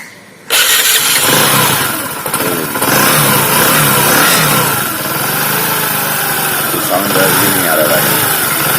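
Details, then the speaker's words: Discover motorcycle after the engine was opened for a connecting rod and piston knock and both were replaced with new parts: starts at once, smooth even idle with clean blips and no knock; problem solved. "और जो सामान ख़राब था उसको पूरा चेंज कर दिया, तो प्रॉब्लम सॉल्व हो गया हुआ है।"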